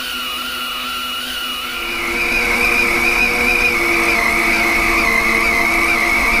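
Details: Lathe turning a 10-inch 4140 heat-treated vertical gearbox output shaft with deep journal corrosion: steady high whine rising and louder after a couple of seconds as cut deepens; operator backs off the cut; lathe straining under heavy cut.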